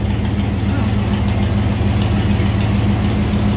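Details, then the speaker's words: 1993 Ford Bronco started after sitting about a year and a half, idling smoothly with a steady low rumble and an even, slightly lumpy pulse around two per second; loud exhaust, ABS light on. "i didn't know if it would even start but she did she's running she's running good"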